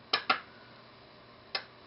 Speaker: Now, you're not going to be able to see much with the relay, but you'll be able to hear the click. So, let's try it. Do you hear that clicking off?